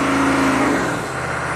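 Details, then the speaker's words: Chevy 6.5 turbo diesel truck with suspected PCM over-fueling via the fuel control solenoid, in park: after a barely-touched throttle blip revs hang high, then slowly sag back to about 2,000 rpm instead of dropping to idle. "see it hangs and then comes [Music] back okay back to 2000"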